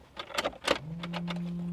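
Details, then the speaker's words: Abandoned Geo Metro LSi convertible, three-cylinder: a few clunks and clicks, then the fuel pump hums while priming, but the starter makes no attempt to crank. Owner wonders about the starter relay; the fuses look good. "fuel pump what the fuel pump is working no way it uh makes no attempt to start but the fuel pump is running I kid you not the fuel pump is running but no attempt to crank at all none"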